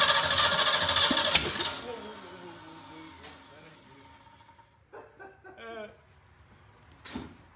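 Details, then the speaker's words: Ford 289 V8, first start attempt in over 10 years, new starter, no exhaust fitted; loud rough burst of firing lasting about a second and a half, then fades as raw gas shoots out; engine fires briefly but won't keep running. "Shot all that raw gas out. Yeah. It'll burn off, Damn. Well, I mean, yeah. It fired."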